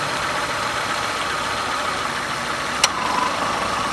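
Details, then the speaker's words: Renault car (per description) idling evenly, AC compressor electromagnetic clutch on a healthy car: one sharp metallic click as the clutch plate pulls in and the compressor starts pumping refrigerant; normal clutch engagement. "муфта у нас срабатывает электромагнитная пластина прижимается и компрессор начинает качать фреон по системе давайте посмотрим как это происходит живую на исправном автомобиле как у нас клацает места"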